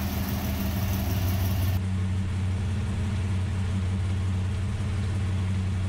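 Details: Ultima GTR V8 supercar sat 7 years unrun in a warehouse, cold, no coolant yet, oil pressure confirmed: steady, even low burble at idle, unbroken note, no knocks or misses; healthy, no apparent injector problems.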